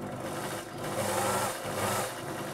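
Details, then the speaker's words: Elna Electronic TX sewing machine after repair (worn motor brushes fixed, faulty resistor on board replaced), tested with foot controller: steady even motor hum, needle chattering at constant pace, no stutter or hesitation; runs properly. "So the original motor had the worn motor brushes. I fixed that, found it still had an issue, and traced that down to that nasty looking little resistor there. So yeah, running nicely there."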